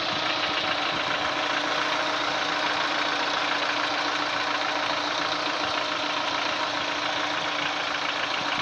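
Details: Daewoo Lanos 1.6 engine: fast, fairly even ticking knock over the idle at about three to four beats a second, source not yet found; engine knock.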